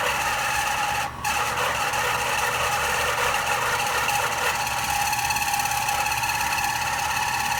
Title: AC unit making noises